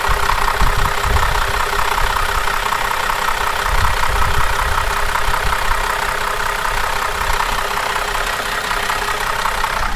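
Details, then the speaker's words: Holden VZ Commodore ex-police car, owner suspects sludge since the previous owner kept adding oil. Loud, rough idle with an uneven clatter about twice a second plus extra noise that goes away after a restart; owner rules out the timing chain. Cause unconfirmed. "so someone just keeps putting oil in it to make the sound go away which it doesn't oh we got some extra noise now bonus noise bonus noise"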